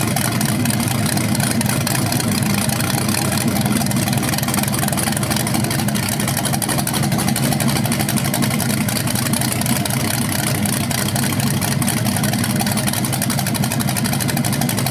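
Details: BluePrint 396 big-block crate engine for a 1970 Camaro SS, first run outside after oil priming and a timing check: steady, even deep idle rumble with no tapping or misses. It sounds healthy with no leaks.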